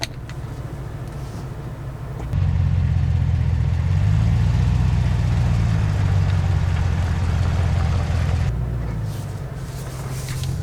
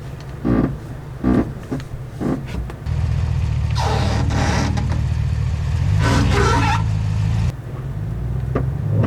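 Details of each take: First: 2022 Chevrolet Silverado ZR2 with a 2-inch level kit and 35-inch tires, creeping at full left lock: a low, even engine rumble with no scraping or tire rub on that side, although the tires do rub at full right lock. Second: Lifted 2022 Chevrolet Silverado ZR2 with 2-inch level kit on 35-inch tires, reversing at full right lock: two rough scraping rushes under steady engine drone; tire rubbing on the right side.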